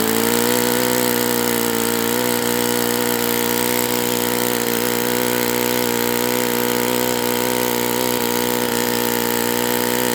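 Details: Enya 46-4C model four-stroke with air bleed carb on the bench, first run at 74°F in humid weather; steady high buzzing drone at fairly constant revs with slight wavering, possibly a touch rich; owner may open the air bleed.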